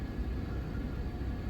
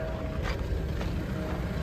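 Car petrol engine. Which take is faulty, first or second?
second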